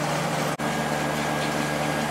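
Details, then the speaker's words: Late-90s 40-pint Whirlpool Accudry dehumidifier, reciprocating compressor, Emerson fan motor, opened up: steady even hum, faint fan whoosh, one brief dropout; normal running, evaporator fins very cold. "Yeah, it's getting really cold all over. I just pointed at the area with the fins. Definitely working"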